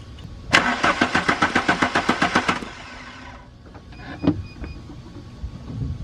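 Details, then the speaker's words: 1995 VW Mk3 Cabrio after new fuel pump, fuel line into a bottle: about two seconds of even starter cranking, six or seven compression beats a second, never catches; no fuel delivered, relay or filter suspected. "like so crank the engine over and see if any goes in there"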